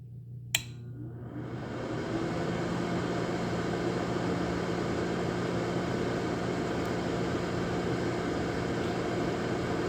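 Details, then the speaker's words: Lasko 1500 W electric heater on a 12.5 A breaker with a plug-in thermostat, drawing air in the top and blowing hot air out the bottom: a click, then a smooth, steady airy whoosh that settles and holds evenly. Normal running. "So that sucks the colder in the top, throws a hot air down the bottom, and we got a gray rug on the bottom here, so that way the concrete block doesn't scratch the floor."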